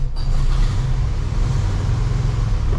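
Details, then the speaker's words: Classic VW Super Beetle air-cooled engine started cold, deep lumpy wavering idle that won't settle; needs warm-up to idle on its own, doing so since generator change despite carburetor idle adjustment. "usually when first time the car it takes a while for you to kind of warm up and idle on its own"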